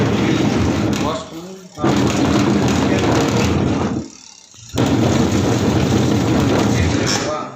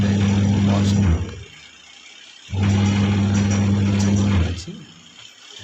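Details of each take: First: Whirlpool semi-automatic twin-tub washing machine: the agitator runs in rough, growling bursts of a few seconds with short pauses between. The gearbox is worn and confirmed to need replacement. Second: Whirlpool semi-automatic washing machine after a gearbox change: even low motor hum in roughly two-second bursts with short pauses, no grinding or knocking; washer agitates normally, normal running.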